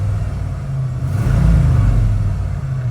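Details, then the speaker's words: 1991 Ford Bronco 5.0 fuel-injected V8, 5-speed, after fixing an O2 sensor code 41 lean fault: a quick throttle blip swells the rumble, then it drops straight back to 700 rpm idle without hanging. Normal rev return to idle. "if you have a properly running forward it will not hang it will go right back to right where it's supposed to be 700 rpm"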